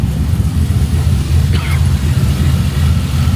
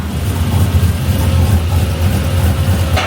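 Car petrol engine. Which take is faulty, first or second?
second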